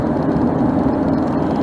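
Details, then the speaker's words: Loud tire noise while cruising, heard from a mic on the sun visor inside the vehicle: a steady low roar with a droning mid-low hum; the cause is not stated. "I don't know if you can hear the tire noise is bad now"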